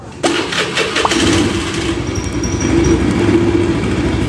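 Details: Honda Scoopy scooter revved against the brake: a coarse, rapid, tractor-like rattle through the rise that is felt through the body, from worn CVT rollers and a glazed clutch bell.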